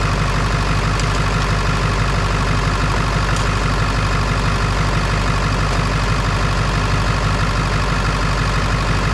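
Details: Ford 7.3 Power Stroke diesel that was cranking slowly with one battery seemingly carrying the load: deep, even clatter at about two beats a second with no stumble or knock, normal idle.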